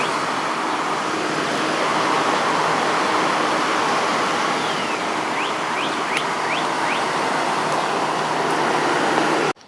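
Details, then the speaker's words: 1989 Whirlpool Coolerator window air conditioner after coil cleaning and fan motor oiling: steady strong condenser airflow whoosh with smooth motor hum, no rattles or squeals; normal running. "Got it all put back together. Let's give it another test run. Airflow through the condenser is very strong, so that's good."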